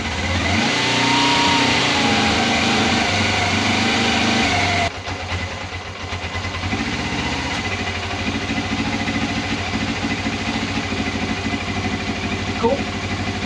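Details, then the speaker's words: 1989 Suzuki GS500E twin, cold start after a week unused at about -5 °C, after new plugs and air filter: clean throttle blips then steady even idle on both cylinders, choke just taken off; sounds healthy. "Fired up pretty easily. You can hear it starting to warm up. And I've just taken the choke off. Yeah, ultimately, it sounds like it's good."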